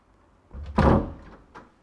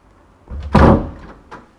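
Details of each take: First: Wooden door closing with a dull, muffled thud and a few soft knocks after adhesive rubber door seal strips were fitted to cushion it and reduce slamming noise. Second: Wooden house door used for some time, before a rubber seal is fitted: it shuts with a sharp heavy bang and a faint settling knock. The worn rubber seal is suspected as the cause of the loud slam.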